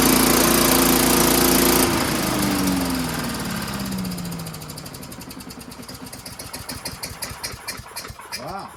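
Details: Craftsman vacuum (likely), small single-cylinder engine, magneto kill wire disconnected; runs strong and even about two seconds, then is switched off and coasts down with slowing puffs — engine works.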